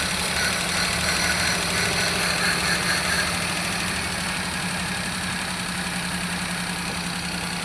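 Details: Suzuki Alto engine at idle: uneven running with a regular stumbling beat about four times a second and a hissy top end; engine misfire.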